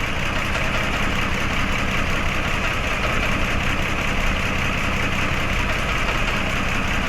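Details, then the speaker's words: Mitsubishi Mirage G4, misfiring when hot despite new ignition coil and spark plugs, injector code: shaky irregular idle with missed beats; injector not firing due to rotten broken injector wire, possibly touching body when hot. "hawak baka dumikit sa body putol yung wire mga Bossing injector siguro pag uminit na siya"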